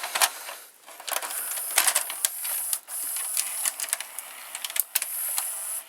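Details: Toshiba M659 stereo VCR loading a tape after the melted belt was replaced with a salvaged one: irregular light clicks and soft whirring of the loading gear, no grinding or slipping; tape loads cleanly.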